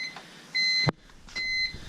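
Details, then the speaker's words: BMW E46 M3 with DCT swap, first start attempt: two steady high-pitched beeps about a third of a second each, under a second apart, and no start; owner suspects the SMG start interlock, maybe a missing relay. "Sorry about the beeping, but it won't start because it's, I guess, looking for the SMG."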